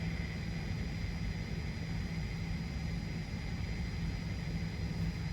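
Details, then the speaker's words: Two 18kV-rated surge arresters, installed on a tap 28 years ago, bench tested for RFI/TVI at about half the delivered primary voltage: constant raspy buzzing hiss with rough low hum from internal arcing; both producing RFI, both need replacement. "you can tell that we're still making all this noise with about half of the primary voltage that we were delivering to these arresters. So both arresters needed to be replaced. Both arresters were producing RFI."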